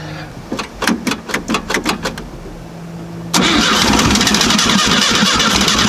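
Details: VW Type 3 Fastback carbureted engine reinstalled after tightening loose cylinder heads that rattled cold: starter cranks about eight even chuffs, engine catches cleanly and settles to steady even idle with no rattle. Normal start and idle.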